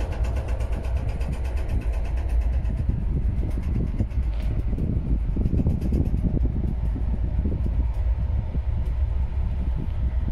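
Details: Indian Railways 2nd AC coach in motion: constant dense low rumble with busy rattling and clatter throughout; coach body and fittings rattling at speed.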